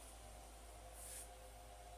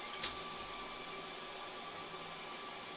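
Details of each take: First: HP ProLiant DL380 G7 server with modded fan control set to about 80%, rack roof fan off: low steady fan hum, soft airy hiss, no rising whine; running far quieter, normal. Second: HP DL380 G7 server after its fan-control sketch is set back to 50%: fans immediately spin back up to a steady high rushing whoosh with faint whistling tones and no dips, loud at stock speed.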